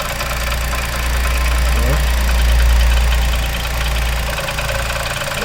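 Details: New Onix Plus LT manual, idling after two days parked and a wash: light regular tapping, about four per second, from the engine bay when the brake pedal is pressed; cause unconfirmed, something inside seems to be hitting, not heard from inside the car.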